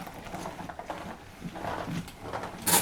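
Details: Homemade wooden drum carder turning: irregular hollow clattering knocks from an old part that was pushed inside the partly hollow drum and now tumbles loose.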